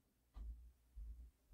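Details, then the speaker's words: Pioneer PL-560 turntable after cleaning, where the right channel had been connecting wrongly: soft low clicks as start is pressed, normal muting switch operation, then sound on both channels. "So when I press start, you gotta wait for the click. Okay. All right. So press start, and you hear the muting"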